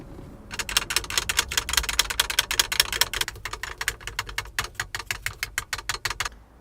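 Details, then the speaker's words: Honda S2000 (AP1) replacement soft-top latch tapped by hand: rapid sharp plastic clacks as the loose latch trim rattles against its metal mounting bracket, also heard over rough roads. Fix is foam between trim and bracket. "A noise just like this. Pretty annoying, huh?"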